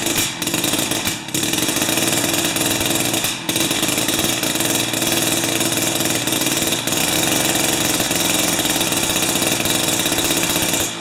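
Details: Jiffy 30 3HP two-stroke ice auger on 30:1 fuel, after repositioning the carburetor diaphragm and priming: high raspy buzz holding speed with a couple of short dips; starts and keeps running, though it still backfires at full rpm.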